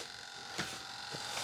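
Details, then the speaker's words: Flap servo with flaps lowered (fine at full up and one click down): faint, steady high-pitched buzz that never lets up as it strains against its stop. Servo stall hum. "When I go here, hear that? So we refer to it at my flying field as the servo is crying."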